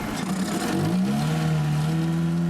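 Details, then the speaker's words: Ford car on overland challenge driving below −40 degrees, extreme cold: engine drones and rises unevenly under load, ragged stumbling note, won't exceed 60 km/h; misfiring, cause unknown, fuel or cold suspected. "it just won't go above 60 k it's really holding back misfiring as you can hear whether it is fuel whether it is something to do with extremely cold"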